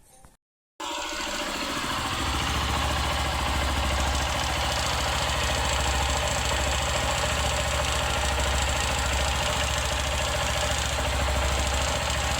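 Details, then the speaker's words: 150cc single-cylinder motorcycle, engine rebuilt 1.5–2 years ago with new conrod, cam chain, tensioner and head work. Steady idle with a light regular knock about three per second, appearing when warm; piston slap suspected, cause unconfirmed. "Você quando tá rodando com a moto, você consegue estar identificando ali um barulhinho tipo pistão, né?"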